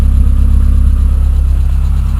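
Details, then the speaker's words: Peugeot 106 1.1 after head gasket replacement and spark plug cleaning and replacement, some foggy exhaust likely oil and water: deep, even, pulsing engine note without stumbling or misfire; running cleanly and much better. "I hate the clutch on this car it's cable operated so hey ho much better I I'm getting some weird foggy stuff coming out the exhaust but pretty sure that's oil and water in the exhaust"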